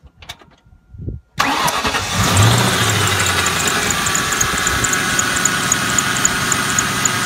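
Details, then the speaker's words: Ford Mustang engine idling with a faint thin high-pitched whir and light chirping from an accessory pulley that still spins but whose bearings are completely dry, with no grease. "okay you hear that so you think well it's spinning right no problem nope this is completely dry the bearings in here have no grease"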